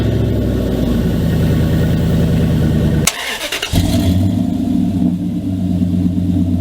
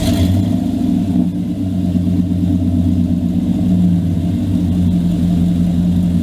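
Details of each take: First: 2000 Dodge Dakota at idle, cold start: loud raspy rumble from broken exhaust dumping under the passenger seat like a straight pipe, then quieter, smoother note after patch repair; exhaust leak before and after fix. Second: 2000 Dodge Dakota after repairing rusted-through exhaust pipe with clamps and brackets: steady, deep, even engine hum through a light rev with no puffing or rasp; exhaust sealed, normal running.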